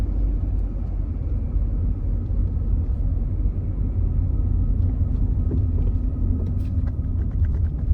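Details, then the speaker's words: 1992 Nissan 240SX S13 after on-the-fly fixes, with a known large gap in the exhaust. Low, even exhaust rumble outdoors with a steady beat and no stumbles or misses: a smooth idle, much better than before. "Oh, it idles so much better."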